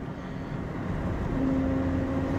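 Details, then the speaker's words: 2004 Chevy Tahoe on a road test around 25–40 mph: steady mid-pitch whine over road rumble under throttle, louder with speed, gone off throttle; suspected worn front differential ring and pinion gear and bearing. "this is the sound that it's making when you get up to about 35 now it's 25 you can kind of hear it but gets louder as you go on listen there it is here so I think it's the front differential sounds like the ring and pinion gear and bearing"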